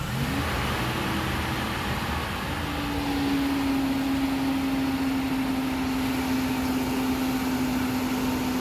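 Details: Nissan Caravan petrol engine after repairing the throttle body butterfly/position sensor that caused stalling, no pickup and hard starting: engine revs cleanly with a steady tone, no stumble or hunting; healthy throttle response.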